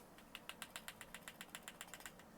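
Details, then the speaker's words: Smith & Wesson SD9VE polymer pistol shaken with an empty magazine: a quick, even train of light metallic clicks as the slide rattles in very small gaps at the back along the frame. "That's the slide. It's very small gaps in the back along the frame. I don't like that."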